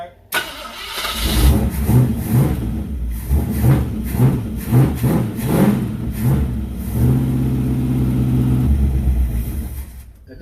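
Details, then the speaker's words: First start of a 4x4 V8 wasteland vehicle build after new starter and wiring, before radiator fitted: rough cranking, then fires, blips up a few times and settles into a deep, fairly steady idle; it runs. "well guys it runs and uh it sounds"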